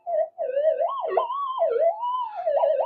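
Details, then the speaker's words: Minelab GPZ-7000 metal detector after electronics upgrade, indoors: loud warbling siren-like tone sliding in pitch once conductive mesh shielding around coil is removed; electrical interference jamming it. "you know stop it making all that horrible noise and uh it's basically um jamming it up electrically"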